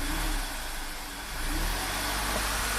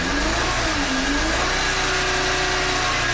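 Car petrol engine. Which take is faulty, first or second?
second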